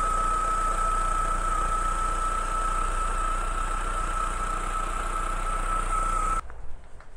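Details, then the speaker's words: Renault Twingo 2004 Kiss Cool limited edition, D7F engine, air-conditioning compressor removed, clean healthy block: steady, even idle with a constant whine and no knocks or misses, running like clockwork; normal idle. "Alors je sais pas si vous l'entendez bien tourner sur la vidéo, mais en tout cas elle tourne comme une horloge."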